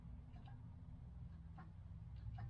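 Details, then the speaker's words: 1968 Chevelle Nomad: the horn button wire at the steering wheel is grounded with a screwdriver. A few light clicks over a low hum show the horn relay switching normally. "And I can hear the horn relay clicking."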